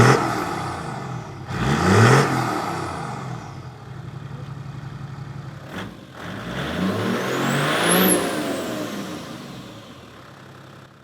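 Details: Toyota 80 Series Land Cruiser after 1HD-FTE diesel engine conversion: catches, settles into an even clattery idle, then climbs cleanly through a couple of revs with no knocks or rattles; healthy.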